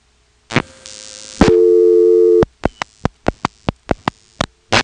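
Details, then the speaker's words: 1977 Elizabeth City NC system, calling Sunbury 465 directly by dropping the director and dialing 6 plus 28. Dial clicks, a tone, then irregular pulses under hiss; carrier noise increases on the second trunk, which also has crosstalk. "And once we dial the 28 for Sunbury, you can hear the carrier noise increase with the second trunk, and that second trunk has crosstalk."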